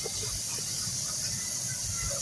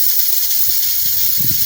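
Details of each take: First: Single-door Polytron refrigerator not cooling from blockage, compressor running after brazing capillary and vacuum lines: even, unbroken airy hiss of air blowing freely through the open line, no blockage. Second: Polytron one-door refrigerator not cooling, compressor off: cutting the capillary vacuum pipe releases a sharp steady hiss of freon, not air, trapped behind a clog; blocked system confirmed.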